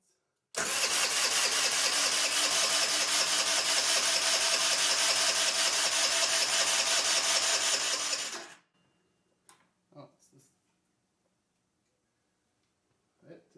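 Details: Qlink Axon 50cc scooter with auto choke, spark only just restored after a no-spark fault: about eight seconds of steady, even starter cranking at roughly two and a half beats a second; the engine never catches or fires, cause unconfirmed.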